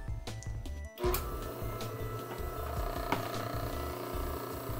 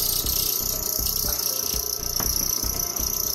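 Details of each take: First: Dayton 6K857 3/4 hp furnace blower motor, warmed up after disassembly and shaft polishing: a steady, even hum at constant pitch with no squeak, rub or grinding. The squeak is fixed and it coasts down longer. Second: Dayton 6K857 3/4 hp furnace blower motor, never lubricated, bench-run and warmed up: steady piercing high squeal over motor hum with light rhythmic tick; dry, tight rear bearing.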